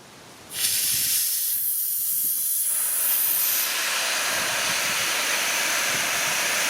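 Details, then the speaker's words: Vevor 5-ton (11,000 lb) air bag jack letting air out after holding a raised wheel without leaking down; after a quiet moment, a sudden loud, steady hiss as it lowers smoothly, which is a normal release. "down to come it's probably smooth coming down thank you didn't seem to be a worry at all"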